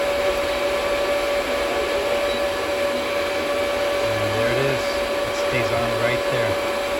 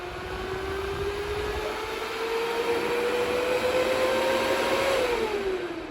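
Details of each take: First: DB Werx amplifier fan on DROK adjustable buck regulator, voltage turned up above the 8.21 V cutoff: steady even whir, constant tone, no rattle or wobble; fan running normally. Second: DB Werx amplifier fan on DROK buck regulator at its 8.21 V cutoff: whine climbs slowly, then drops in pitch and fades as it spins down, cycling off and back on; fan cycling off at undervoltage cutoff.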